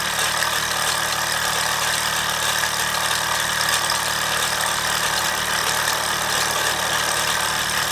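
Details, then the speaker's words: Mamod SR1 steam roller (1963/65, probably 1965/66), aluminium wheels with rubber tyres, running on rollers: steady hiss, fast even chuffing, no whistle leak or sputter; very smooth, pressure-tight runner; normal running. "Very smooth runner."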